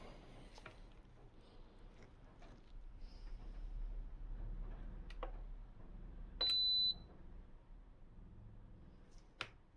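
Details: SMEG drip coffee maker with blown thermal fuse jumpered: quiet room, a few clicks, then one short high beep as it powers on; normal power-on, heater then confirmed getting hot.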